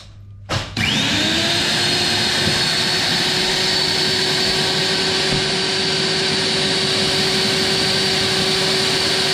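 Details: Eco magnet drill after fitting a new motor and new bearings, first power-on test: spins up within a second to a steady, even high whine with no grinding or crackle; runs very well, sounds good.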